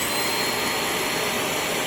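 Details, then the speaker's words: Trash-find Shark Navigator vacuum after clearing a clogged hose, running: loud steady high-pitched motor whine with strong even suction, no surging or rattle; running normally, clog believed to be the only fault. "there it is still pulling stuff down fine now so i guarantee that's all that was wrong with it"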